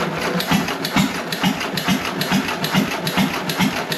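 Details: John Deere 1.5 hp hit-and-miss gas engine first run after repair, no water in hopper: firing thumps roughly twice a second with even coast between, no knocking or banging; normal hit-and-miss running.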